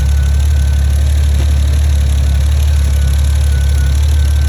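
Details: 2012 Volvo S80 T6 after the ECM was reprogrammed with VIDA, started following about six months off the road: steady deep drone at an even idle with no misses, hunting or knocking; it settles and runs cleanly.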